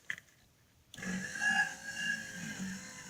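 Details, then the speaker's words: Cadillac power radio antenna motor whirs steadily with a thin whine and never stops at end of travel, keeps running until unplugged; the mast is stuck and won't go up or down by itself, must be moved by hand. "that noise that's the radio antenna trying to work but unfortunately it won't go up and down by itself and where you got to do it by hand"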